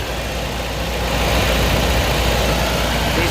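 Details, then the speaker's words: Toyota 22RE truck, A/C off, idling steady high around 1700 rpm cold or hot, then erratic once coolant temperature reached mid-gauge; loud steady fast idle, cause suspected not confirmed; coolant found near engine. "ac is off so i don't know why it's been idling up so high even though it's cold or hot it was steady at 1700 for a while"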